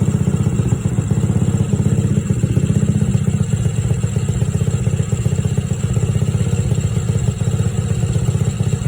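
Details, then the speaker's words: Rough idle after a spark plug change, after 2–3 minutes running; old plug was very black, so owner suspects oil burning. Loud single-cylinder thumping near four beats a second, uneven and lumpy with a clattery edge; cause not confirmed. "Again, you can also hear it idling very rough. But it is working."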